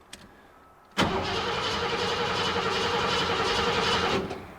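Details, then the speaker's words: 1986 Ford F-150 5.0L cranking with a fuel pressure gauge on the service port (spec about 40–50 PSI): starter spins steadily about 220 beats a minute for three seconds, never fires; gauge reads zero, no fuel pressure. "so there is no zero zero no fuel pressure not even a little bit not even a little bit okay so that's probably our problem then no fuel pressure"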